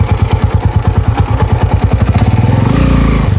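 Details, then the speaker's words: Motorcycle with a noisy engine: a lumpy thumping idle, then revs climb into a steady drone on a test ride as the worn clutch judders and slips on pull-away. "medyo mapusa na rin yung kanyang panggilid"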